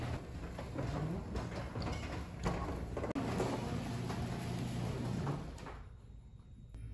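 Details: Garage door after Blaster garage door lubricant was applied to its mechanisms rolls open and shut with a low even rumble, no squeaks or squeals; smooth normal operation.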